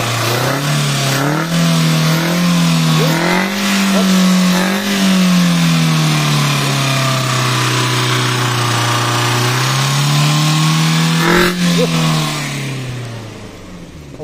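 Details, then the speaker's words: 2010 Kia Rio manual, unused over two months, finally running: engine revs climb and settle smoothly, pulling clean without stumbling, then steady running; normal revving. "at yun ay napaandar na natin ang Kia Rio 2010 mga sir"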